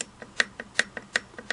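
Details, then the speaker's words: Singer 401A slant-needle sewing machine, hook drive gears after reinstalling the rotary hook, set screw only finger-tight on the shaft flat, mechanism rocked by hand. Sharp light clicks about five a second as the gears knock through too much play: excessive gear backlash. "I've got a little bit of play. I have, to me, too much play. There's too much space between the gears."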